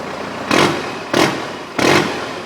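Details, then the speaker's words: 1992 Toyota pickup 4x4, straight-axle swapped, originally V6, now Cummins 4BT diesel with H1C turbo and automatic: three quick throttle blips rising and falling off cleanly, revs freely with no knock, a little black smoke; runs well, normal rev. "other than that truck runs good good power whatnot so I'll fire it up for you guys here so you guys can hear it and see it run so you guys will actually believe me that the thing works"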